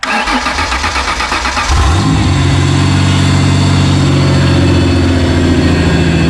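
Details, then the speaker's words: 1995 Ford Explorer on 38-inch tires, started after reassembly to fix a running problem: the starter whirs briefly, and the engine catches cleanly and settles into a smooth, even idle with a steady low rumble; normal start and idle. "go. That's pretty good."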